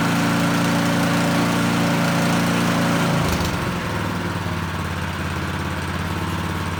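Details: Small single-cylinder snowblower engine test-run before reassembly after choke-and-pull start; steady drone at speed dropping smoothly to a lower, regular idle after about three seconds. Running normally.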